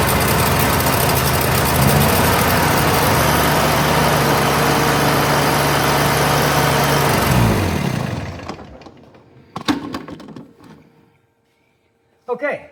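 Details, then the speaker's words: Steiner 230 with Kubota gas engine, after restoring spark and confirming fuel pumping: runs steadily about seven seconds then drops away and dies with a few clunks; stalls after starting, owner suspects air in the fuel line. "we started and then we stopped. Not quite sure why we stopped."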